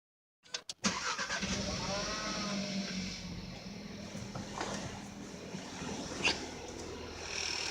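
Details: 2017–2018 SEAT Ateca 1.4 TSI 150 hp ACT, very low mileage, at start: a quick, uneven light rattle-tick over the idle, like a card on bicycle spokes, said to fade after about ten minutes but not disappear. Cause unknown.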